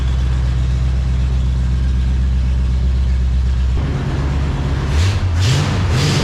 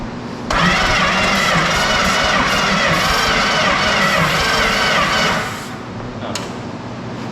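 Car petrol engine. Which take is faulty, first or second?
second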